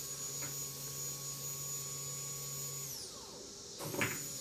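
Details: Fuel pump for a 2008 Kawasaki Vulcan 1600D, bench-tested outside the bike on a 12 V DC source: steady high electric whine with a low hum, winding down smoothly when switched off. The pump is working normally.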